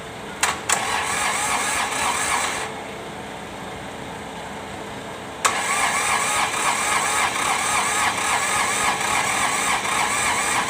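A few sharp bursts of cranking, then a pause, then a catch into a steady rattly idle; the diesel is slow to start, cause unknown.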